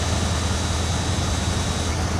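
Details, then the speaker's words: 1986 Dodge W150 Royal SE 4x4 truck, about 161,000 miles, tuned up: even low rumble at steady idle with no misses, ticks or knocks; engine runs smoothly and healthy. "Starts fairly easy. It's got about 161,000 on it, but it still runs pretty good."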